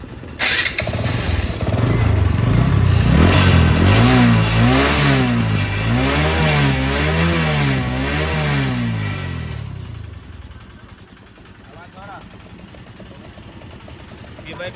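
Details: TVS Apache RTR 160 BS4 before repair: rattling clatter over the engine, quieter on rising revs and louder when the throttle is released. The bike also emits white smoke. The engine was opened and the cause traced to a loose gear shaft bolt.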